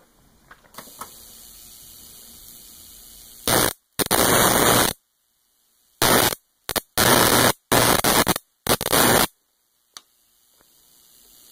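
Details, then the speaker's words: Homemade jar (Leyden) capacitor charged from a 60 Hz AC high-voltage supply and discharged across a jumper cable: harsh, snappy crackling bursts of about a second buzzing with the mains cycle, unlike the earlier smooth spark; charging in spikes makes it snappy. "now i'm sure you can hear the difference the other spark sounded sort of smooth this one sounds very snappy that's because that's because the capacitor is being charged on opposite ends at a rate of 60 cycles per second"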